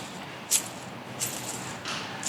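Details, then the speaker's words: 2010 Keystone Raptor 361LEV fifth-wheel trailer, cleaned wheel bearing spun by hand in a quiet shop: faint light metallic tinks about every 0.7 seconds, imperfection felt, damage found on inspection; to be replaced. Damaged wheel bearing. "and I can feel an imperfection and upon a close inspection I found this that if it focuses on it is a bad bearing"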